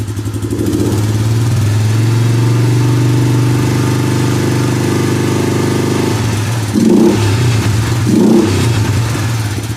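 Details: Suzuki Vinson 500 quad, hot, after new oil: a steady, even thump with crisp throttle blips near the end. It is not smoking or leaking, and it sounds better than the very noisy engine before.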